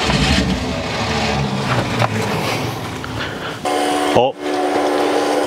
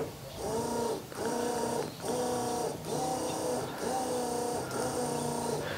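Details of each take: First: 1972 Ford F100 unrun over 10 years, electric fuel pump feeding carburetor: cranking churn then brief catch and firing that dies; carburetor thought blocked up, float bowls possibly overwhelmed by pump pressure. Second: 1972 Ford F100 that has not run in over 10 years. Electric fuel pump crudely wired to the battery with alligator clips to fill the carburetor before a start attempt. Steady buzzing with an even pulse about once a second; pump running normally.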